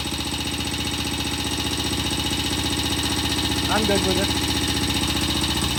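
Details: Vintage BSA C15 single-cylinder motorcycle after repair, fresh transmission oil, distributor cap refitted: steady even thump around three beats a second, no misses or knocks; runs smoothly.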